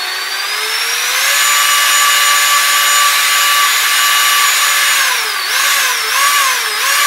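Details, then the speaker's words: Modified kids' Power Wheels with 24V conversion and ESC, bench test after motors installed and gearboxes cleaned and greased: clean high motor whine spins up and holds steady at full speed with brief dips; gearbox running smoothly. "murders are installed gearboxes are cleaned out we greased and reassembled we're gonna do another bench test on it and see how she does"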